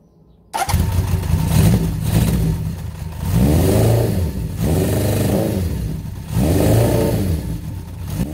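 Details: Honda CB750 project bike after cleaning the ignition advance/retard mechanism: it fires up quickly, then three clean rev blips rise and fall smoothly with no misses, knocks or rattles; it sounds healthy.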